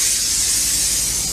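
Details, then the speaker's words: Flatbed truck with Cat C15, air suspension dump valve opened by a dash switch: steady loud hiss of air venting as the airbags deflate; normal dump valve operation. "You can uh, hear the air dumping out of the suspension right now. That hits a noise. And what that is is right there, that little valve right there, when I hit that switch, it opens that valve up."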